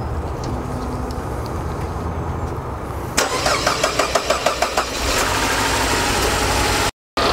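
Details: Car after replacing a GM Saab Garrett GT1752 turbo, cranked until the oil pressure light went out, then first start: cranks about two seconds, fires and settles into a steady even idle with no knocks or rattles; normal.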